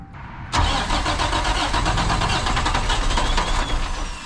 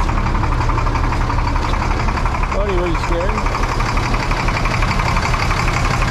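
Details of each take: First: International 4900 diesel bucket truck that sat for 5 years: steady fast starter cranking with even compression pulses that never catch or fire; air in the fuel system. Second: International 4900 diesel bucket truck just revived after sitting 5 years: loud, steady diesel clatter at an even idle with no misses or hunting, air pressure near 60; engine runs smoothly.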